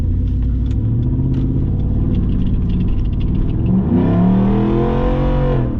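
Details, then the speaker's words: Ford F-150 under hard acceleration: a deep, raspy drone climbs steadily in pitch. The exhaust is open behind the resonator because the muffler and tailpipe slid off. "But it does sound cool. Maybe in the future."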